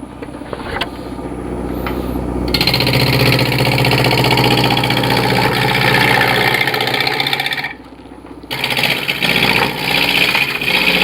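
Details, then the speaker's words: Wood lathe turning a cork bark elm sphere: after knocking down a high spot vibration drops, steady whir climbs to a higher even speed with no wobble thump; smooth lathe running at higher speed. "You got one high spot that just doesn't want to work. Now we're vibrating less, so I'll turn it up."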